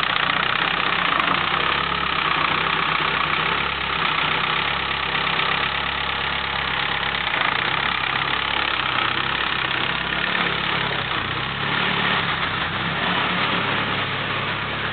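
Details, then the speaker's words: 1997 Mitsubishi Eclipse GSX with 6-bolt engine swap, just reassembled, new 3G lifters, oil pressure near 80 PSI: idle with sharp loose ticking about four per second; owner suspects lifter tick, unconfirmed. "Um, and right now the main problem that I'm having is it's got this nasty ticking noise. So, I'm trying to mainly find out if you guys think it's lifter tick or if I've got bigger problems."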